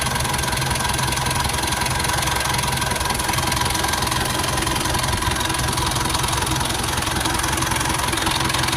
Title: rough idle sound